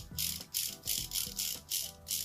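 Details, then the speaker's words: WPL C24KM RC truck axle freshly assembled with grub screws ground down to clear the case, spinning freely: light regular scraping rasp each turn from grub screws still rubbing on the middle, expected to wear itself in. "spins a little bit of rubbing so you can still kind of hear that grubs rubbing on the middle but that'll wear out eventually it'll wear itself in"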